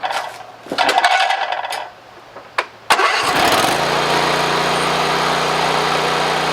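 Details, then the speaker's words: Briggs & Stratton 24 hp engine on a Husqvarna mower with low power under load: it cranks, catches and settles into a steady but slightly uneven idle. One side's intake valve isn't sealing, possibly carbon or dirt; head removal is planned if it persists. "I do know that the intake valve on this side is not sealing up quite right and so to repair that I'm going to end up pulling the head if it doesn't repair itself just from some carbon and dirt"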